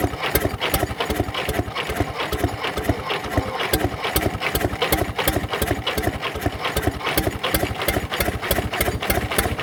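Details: Previously seized Fordson Major diesel tractor wreck from far west NSW on a temporary crank start; slow heavy chuffing about two to three beats a second, cranking and trying to catch but never settling, cause unconfirmed.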